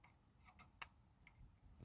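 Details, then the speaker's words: Mopar with ECU no-spark problem: faint, sparse sharp ticks in a quiet room as the distributor coil lead, key in run, is touched to ground near a gapped spark plug; spark present, ignition firing. "I don't know if you can see it but it is sparking I mean I can hear it I don't know if you can see it in the camera or not but it's there"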